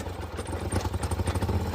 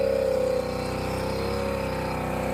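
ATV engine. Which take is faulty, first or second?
first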